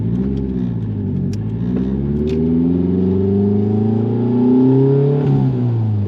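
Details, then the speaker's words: Nissan Pulsar GTI-R freshly rebuilt engine on first drive, under acceleration; engine note climbs but sounds rough, stumbling and breaking up; oil pressure good, about 70 psi at 5,000 rpm; owner first suspected knock; misfire under acceleration. "Definitely sounds like she's breaking up."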